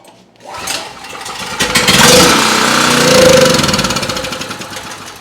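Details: Powermate 206cc OHV generator, model PMC143500.01, made 2019, won't start: on a shot of starting fluid it bursts into a buzzy, popping run, surges, then fades within seconds; fuel not getting through the carburetor.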